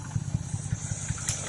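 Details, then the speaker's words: OHC six from a 1968 Sprint in a 1950 International Harvester L110 pickup, first start in 35 years after freshen-up, fed from a gas can: low, even idle chuffing, no ticking or knocks; healthy, smooth running. "Runs beautiful, man. Let's listen to that, eh? No ticking, no noise."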